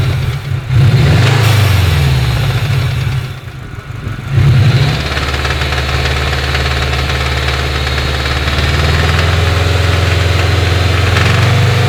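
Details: Subaru EJ20G turbo engine run 11,000 km without an oil change in winter, then hard donuts: hard knocking over the drone on revs and especially when the throttle is released; worn connecting rod bearing on one rod (rod knock).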